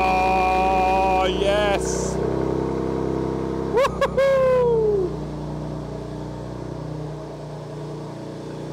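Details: BMW M2 Clubsport after engine rebuild and reinstall, first start, exhaust fitted; smooth steady idle with two quick clean throttle blips rising and falling freely, no knocks or rattles; normal revving.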